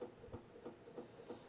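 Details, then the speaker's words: Old Jundes synchronous clock after cleaning, mounted back in its case with the hands fitted. A steady buzzing hum with soft throbs about three per second, amplified by the case. The hands may be the cause, since the sound stopped when it was held upright. "now as you can hear that the fact that it's in a case um kind of amplifies the sound a bit"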